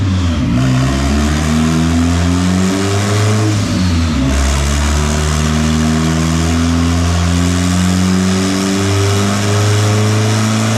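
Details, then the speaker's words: Turbo Honda Civic on a $120 turbo at 10 psi, with timing adjusted and fuel pulled after running super rich. Strong, clean pull to very high revs that holds under load with no misfire or knock. It made 229 hp and lost some when pushed further. "so this thing is revving to the [ __ ] moon that's it that's all she's got huh"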